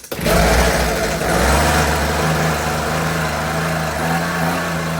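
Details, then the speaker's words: Husqvarna 125B leaf blower, sat years with old fuel, new fuel lines, choke on, no air filter: sharp start then buzzy two-stroke drone wandering in pitch; needs carburetor adjustment. "Well, there you go. Definitely could use a little bit of tweaking, but see if she fires right back up."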